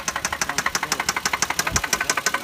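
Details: 2004 Lexus IS300 2JZ-GE engine idling, no check engine light: sharp metallic top-end ticking about six per second, seeming to come from the top of the engine. Valvetrain knock, bent valves suspected.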